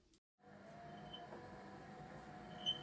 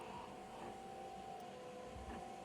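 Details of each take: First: Secondhand 4moms MamaRoo (Uppababy Soma) motorized bassinet: steady motor whir with a sharp high squeak about every 1.5 seconds, from the gear housing driving the scissor lift rubbing; fixed by loosening that housing. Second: Secondhand 4moms MamaRoo (UppaBaby Soma) motorized bassinet after fix, loosening the clear gear housing to relieve pressure on the gear: soft steady even hum with no squeak or ticking; running quietly.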